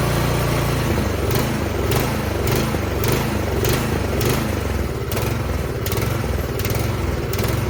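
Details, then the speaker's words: Troy-Bilt snowblower with 208cc single-cylinder engine, before carburetor cleaning: uneven chugging, beat swelling and sagging every second or so; surging idle caused by a dirty pilot jet. "so you hear it dieseling there? That means that the pilot jet is dirty."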